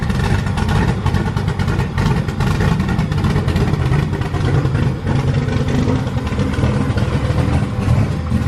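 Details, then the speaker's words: Ford Crown Victoria freshly built cammed V8, just started: loud, lumpy, choppy cam idle but even and steady, no knocks or ticks; 90 psi oil pressure, no leaks, healthy. "Got oil pressure? 90 pounds. Hell yeah. Sounds good. No leaks."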